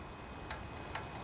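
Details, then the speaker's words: Honda GC160 5 hp engine from a junkyard pressure washer, stopped and pulled slowly by the rope: light, sharp metallic ticks at uneven intervals; the exhaust valve has excessive clearance, the likely cause of the noise before adjustment. "that's probably the problem so that is the the exhaust valve can you hear it doesn't move rip"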